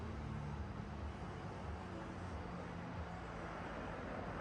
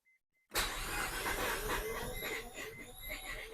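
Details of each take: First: Barn-find Mazda RX-7 FC rotary idling after a stuck side seal was freed with ATF, last run 2016; quiet, steady drone with an even rhythm and no galloping or missing, smoking a little from the ATF; idling smoothly again. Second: Barn-find Mazda RX-7 FC rotary cranked after sitting over 10 years on very old fuel; starter cranking with uneven thumps as it tries to catch, about two to three beats a second; hard start, likely the stale fuel.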